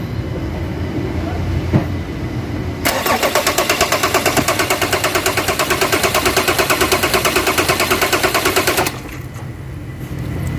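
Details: Ford Ranger common-rail diesel after a fuel filter change, with its own electric pump priming: about six seconds of steady cranking near three beats a second that never catches; air in the diesel fuel system.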